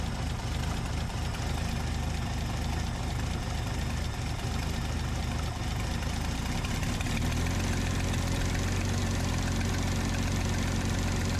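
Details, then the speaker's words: 1966 Dodge Dart after new camshaft install and harmonic dampener fix, cold engine; deep, slow, slightly lumpy idle that wants to stall and needs throttle held, then steadies a little: idle speed set too low. "sounds good but the idle's too low I've got to keep my foot on the gas"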